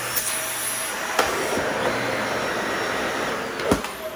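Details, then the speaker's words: Shark Rotator NV520 upright vacuum running with its filter tapped out, not clogged: an even, steady rushing roar with a couple of small clicks. Wind-up and wind-down are fine, and the motor runs normally. "It runs no problem. Wind up is fine, wind down is fine."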